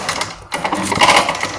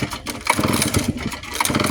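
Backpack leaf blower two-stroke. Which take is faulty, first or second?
first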